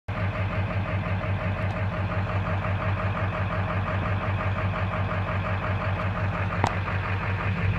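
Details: 2000 Ford F350 diesel with 200/80 hybrid injectors idling with an uneven, lumpy beat of about three pulses a second instead of a smooth run; rough idle.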